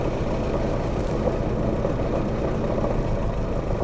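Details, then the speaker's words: Misfiring, rough-running Series 3 109 Land Rover, petrol idle with one plug lead pulled: runs noticeably rougher and weaker, suggesting plug one or its lead may be the problem. "so that's a noticeable difference I don't know if that comes out on camera um suggesting that this one plug two is is good and perhaps plug one is an issue"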